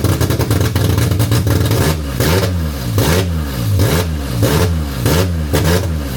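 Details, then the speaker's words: D-series wagon newly converted to multi-point injection, first run: lumpy engine surging and sagging about 85 times a minute; misfiring from a wrong firing order (later fixed). "we had the fire and order wrong. Uh got that fixed."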